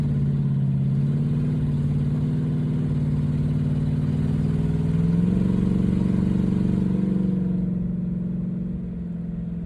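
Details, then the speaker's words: Ford Mustang 4.6 V8 after intake replacement meant to stop coolant entering cylinders 5 and 6, still warming up at idle: low burble wavers and briefly stumbles, then settles slightly higher; unresolved, owner guesses spark plugs or a wrong hookup. "You hear it right there? Kind of broke up for a minute."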